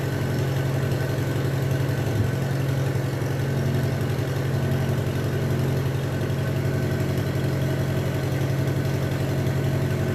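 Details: Minneapolis Moline BF tractor engine after in-frame rebuild for heavy blow-by (suspected ring job), running: steady even low beat with no misses or knocks throughout; runs smooth and healthy.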